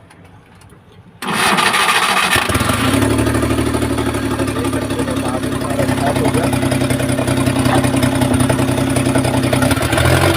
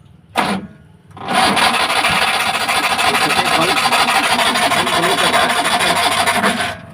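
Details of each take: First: Omni MPFI van without immobilizer that cranked but wouldn't start: engine catches on first try and settles into a steady, even idle with no misses; now starts and runs fine. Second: Maruti Omni MPFI without immobilizer, crank but no start: starter spins at an even, rasping pace for about five seconds but the engine never fires.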